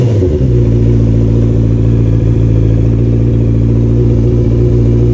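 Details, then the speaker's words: Honda CBR650R after an air filter change: catches quickly and settles into a smooth, even, steady drone with no misses or rattles. Normal start and idle. "there should not be any problem in starting the bike now so let's do it"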